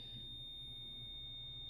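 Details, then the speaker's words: Multimeter continuity test on the cruise control cancel ground circuit of a 359 Peterbilt (Cat 3406B) getting a Rostra 250-1223 cruise control. One steady high beep with no breaks: brake and clutch pedals released, so the ground circuit is closed. "The other way is apply the brakes. See, it stops beeping when we apply the brakes. Brake lights come on, we lose ground. Brake lights come off, we have ground."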